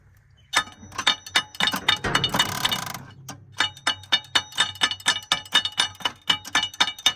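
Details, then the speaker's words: 1984 Holden VK Vacationer wagon, first attempt to crank: about a second of harsh metallic grind, then rapid ratcheting clicks about four per second; starter not engaging cleanly, cause unconfirmed; the starter was then replaced. "head SS very grindy doesn't it"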